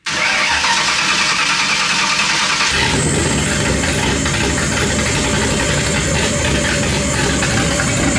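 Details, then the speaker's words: Ford 2v 4.6 V8 swapped into a Volvo 240 wagon, first start after fixing two vacuum leaks, cammed, oil low: catches and settles into a choppy cam idle sitting slightly high. "We fixed 2 vacuum leaks. See if we can bring the idle down. Hear the cam a little bit."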